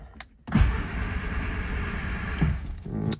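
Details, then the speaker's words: 1970 Morris 1300 (ADO16) barn find, first start attempt with throttle open and starting fluid sprayed in: the starter churns steadily for about two seconds but the engine never fires. No spark is suspected, and a later spark test gave mixed results. "Let's open up the throttle. Give it some of this. And we'll see if we have any lease of life at all. Okay, there's that button. Don't think we're actually having any spark."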